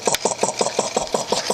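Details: 1940s Kellogg piston air compressor, unused about 5 years, revived with a new cord, cleaned and oiled: even, regular chuffing at about five and a half strokes a second with an airy intake hiss. Normal running while pumping up.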